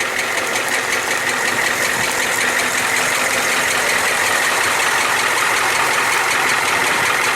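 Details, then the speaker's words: 1994 Ford F350 7.3L IDI diesel, oil cap off, glow plugs recently replaced: heavy chuffing blowby with a metallic knock from the bottom end. Shop suspects a cracked piston or bad rings, unconfirmed without teardown. "with the oil cap off it was quite a bit of a blow by happening just like a choo-choo train there and you could hear kind of a metal e metal-on-metal sound going on in there maybe ring slapping around or something"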